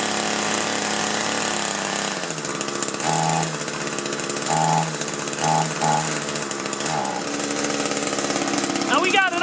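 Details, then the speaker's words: Echo two-stroke hedge trimmer after the carburetor fuel lines were corrected: buzzes steadily, but each throttle blip only brings a short bump and never climbs. Fuel starvation is caused by a blocked tank vent; the high-speed adjustment screw is also noted. "But it won't throttle up."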